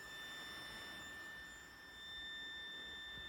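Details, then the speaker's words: RANVOO AICE LITE neck air conditioner fan: thin, steady high-pitched whine with faint hiss; the unit is broken and unusually loud, cause unknown. "This thing is broken. It makes this loud noise."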